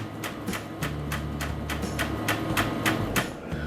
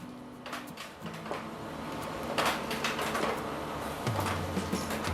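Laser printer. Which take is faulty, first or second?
first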